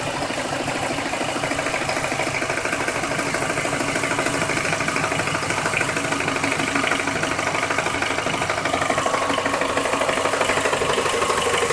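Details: Car engine at idle: steady fast light ticking about three per second, present from start to shutoff, seemingly around the oil pan; began two days ago; owner suspects something loose, possibly balancer, unconfirmed.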